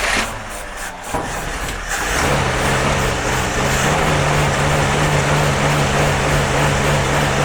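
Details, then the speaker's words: Jeep CJ5 not started in about 34 years, now with fresh gasoline added and starting fluid. Cranks, fires after about two seconds, then holds a fairly even idle of about three to four pulses a second. Running after long storage. "hopefully with some go-go juice and some fresh gasoline it'll stay running please let's try it"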